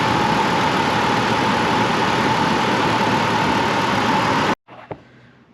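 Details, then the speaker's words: Chevy Colorado i5 engine that made a noise only when cold, first suspected to be the timing chain. The stretched, weather-cracked serpentine belt was dragging over the tensioner. After a new belt: steady, even idle with no squeal or chirp. Normal idle. "you can see that took care of the noise our belts get stretched on these and cause them to make that noise"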